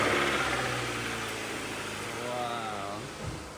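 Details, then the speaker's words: Honda CR-V after a flood and an engine swap, first start with a newly installed untested snorkel: the engine settles into an even, steady idle with a smooth low hum and no knocks or misses; it runs healthy. "This is literally the first start. This is the first start with the snorkel. Yeah. So, it's untested."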